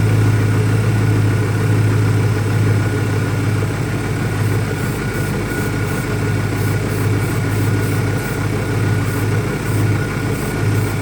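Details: 2001 Ford Mustang Cobra V8 after new Bosch spark plugs; low, uneven idle with an irregular lope and occasional dips under a steady hiss; rough idle, owner asks about vacuum leaks, cause not pinned down.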